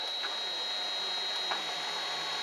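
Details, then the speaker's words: Late-1970s Kent 2 HP Bridgeport-clone milling machine, spindle motor on a newly wired VFD at 60 Hz, normal speed: steady high whine over a smooth even hum, no knocking or grinding; runs normally. "there is 60 HZ so that's uh normal running speed as indicated on here"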